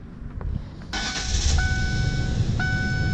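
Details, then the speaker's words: 1997 Ford Crown Victoria after PI intake swap onto non-PI heads and temporary clamped 2.25in X-pipe exhaust, warm: uneven stumbling idle, visible shaking, one cylinder seemingly dead; misfire at idle, cause unconfirmed. "Like I said, it has a pretty dead miss. I mean, you can see it shaking."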